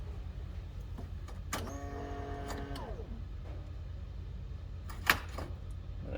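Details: 2008 Polaris RZR 800 after fuel pump assembly replacement to fix bogging and blinking fuel gauge, key cycled without starting: short rising whir, steady hum about a second, then stops; new pump primes normally.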